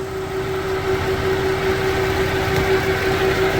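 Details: Pinnacle-built Dodge Charger limo, same 3.6L V6 with dual AC compressors and no idler pulley: smooth, even idle with steady hum, no belt chirp or squeal; normal belt drive at idle.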